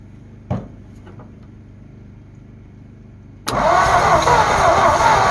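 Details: Abandoned 1948 Ford F5 bus after sitting 25 years, fuel in carburetor, charger on battery, after a backfire: sluggish, dragging crank that never catches; owner suspects battery may need replacing.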